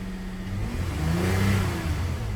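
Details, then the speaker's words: GM petrol engine (Buick/Cadillac/Chevrolet/GMC) after replacing the fuel injection throttle body, which cleared reduced-engine-power and ESP warnings: pitch rises smoothly with throttle and settles back without stumble; revving normally. "can hear the motor sound the engine sound is perfect as it was so thank you"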